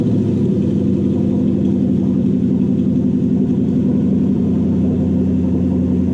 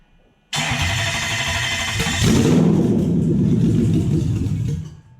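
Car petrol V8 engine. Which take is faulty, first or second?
second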